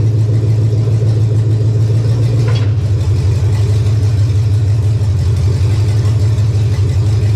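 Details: 1999 Chevy 5.3 V8 4WD junk donor pickup, engine started to test condition: low, even drone steady throughout, no misses, knocks or rattles; runs cleanly.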